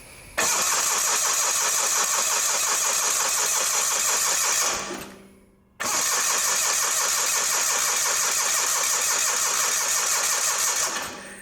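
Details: Old Simplicity garden tractor: two long bursts of fast, even cranking with no catch while the mechanical fuel pump output is tested into a jar; it pumps weakly, but gas reaches the carburetor.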